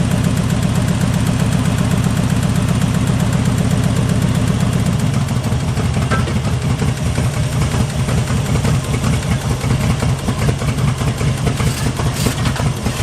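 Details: 1974 Jeep CJ5 rock crawler, first start after sitting for years, with PB Blaster in the bowls, new plug wires and a fresh battery: a low, lumpy, uneven idle that sags. Idle is raised until the varnished stale gas clears.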